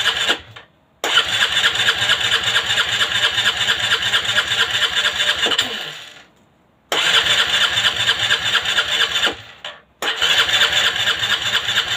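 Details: Aprilia Leonardo 125 scooter after a long time unused: four bursts of fast, even starter whirring, each cut off with no firing; cranks but no start.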